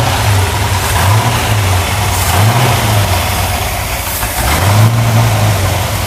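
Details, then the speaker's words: Newly restored, broken-in 409 HP dual-quad 409 V8 from a 1962 Chevrolet Impala SS with valves reset: strong rumble rising and falling with throttle blips, light steady clickety-clack valve clatter underneath; normal for the solid lifter camshaft. "And when I start it, you'll hear a little clickety-clack. That's because it's a solid lifter camshaft."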